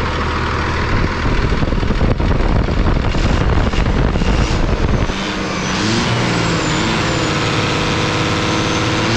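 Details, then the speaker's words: 5.9 Cummins diesel, a VE-pump engine that had sat 15 years, swapped in for a P-pump engine: settles into a steady, even idle with a smooth low drone and no knocks or misses. Little visible smoke, now running properly. Normal idle. "Folks, I figured you guys would like to see this thing running properly."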